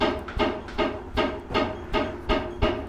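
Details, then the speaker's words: 1975 Ford F150 rear suspension cycling: rhythmic metallic clunks, about two and a half a second, as the exhaust pipe apparently strikes a suspension mount on big bumps. Cause suspected, not confirmed. "So, when the truck hits a really big bump in the road, we get that contact noise with the exhaust."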